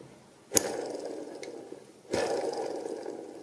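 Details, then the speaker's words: Two-stroke outboard engine being rebuilt, crankshaft ball bearing rocked by hand: two sharp metallic clacks with short ring from excessive play; bearing dead from brinelling, contact fatigue after seawater was drawn in past failed seals. "Bon. Donc le roulement ici, il est mort. Vous avez à contrôler ce qu'on appelle le brinelage."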